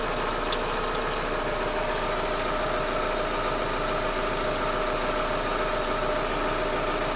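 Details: Daewoo Lanos 1.6 16V at idle: light irregular knock a couple of times per second from the engine front; knock gone after replacing timing belt and idlers, though removed parts showed nothing suspicious.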